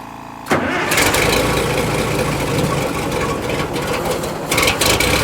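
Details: Barn-find fire truck not run in about 20 years, after intake manifold cleaning, possibly flooding, smoking heavily; short crank then catches into a deep even running note with a light rev. Normal start and idle.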